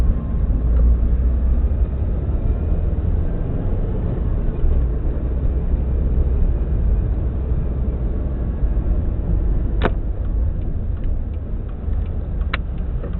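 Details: 2002-03 Subaru WRX EJ205, warm idle with deep lumpy rumble, uneven beat and shaking; cylinder 3 misfire, no ticking, spark plug ruled out; supposedly a cracked valve.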